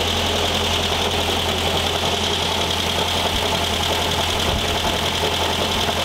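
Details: 1973 VW Thing type 181, sat for years, first runs after revival: irregular rattling scrape over steady idle, loudest in the fan hiss; owner feels debris inside the cooling fan housing and plans to remove the belt.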